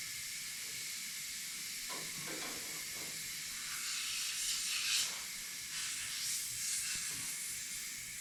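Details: Old race truck: continuous high hiss while air is fed in, rising and falling slightly, with about 30 to 40 psi in the tank; a leaking fitting suspected of bleeding off the air tank, not confirmed.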